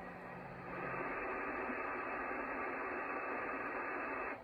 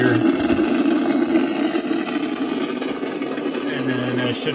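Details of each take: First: Icom IC-746 Pro on an MFJ switching supply at about 13.8–14 V after power reset: steady smooth hiss with no crackle, hum or dropouts, squelch working and S-meter no longer pinned; normal receiver background. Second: Icom IC-746 Pro on an MFJ switching power supply: steady loud hiss and crackle, with no signals received, not even the 162 MHz weather station. The cause is unconfirmed; owner suspects dirty DC, voltage out of bounds, or bad components.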